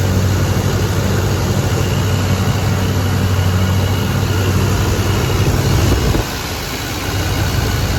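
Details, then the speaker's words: 1983 GMC K2500 carbureted V8, barn-stored, first start in five years with fresh fuel: low, steady, even idle with no knocks or misses; oil pressure present, carb jets may need cleaning. "so she runs she idles might be some carb cleaning in the future if any of those jets got gummed up but uh seems to b"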